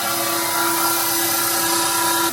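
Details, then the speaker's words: Old Fadal CNC mill, sat unused for years, spindle commanded to S3000: steady even-pitched whine, then a clean stop as it switches belts from low to high gear up top; smooth, healthy spindle and gear change. "S3000. That should make it stop, change gears up top. It'll switch between the two belts and go into a higher gear. Nice."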